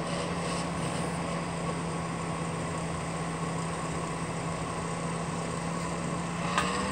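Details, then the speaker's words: Duracraft Heat Furnace Plus CZ-1200 space heater after soldering repair on the heating elements: fan motor gives a steady, rough droning whir with a constant low hum; bushings suspected worn. Fan motor noise. "sounds like to me the bushings are gone and everything all that soldering work for nothing"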